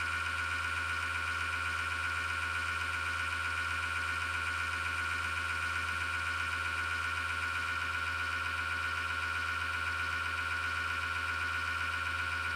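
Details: Desktop PC power-supply fan: a constant gritty, grinding whir with a low hum and vibration felt through the case. The worn fan bearing is grinding; the noise returned after about five years and began after a slowdown with clicking or rattling.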